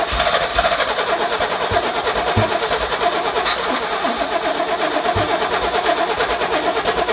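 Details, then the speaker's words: Long-abandoned 1980s lowrider Pontiac Fiero, new distributor just installed: engine cranks with uneven sporadic firing and pops, a little backfire, but won't catch. Suspected wrong plug-wire firing order and ignition timing way off; distributor loosened to adjust. "it wants to fire you can hear it firing it's just like the order's wrong or the timing is way off it's exactly what it sounds like"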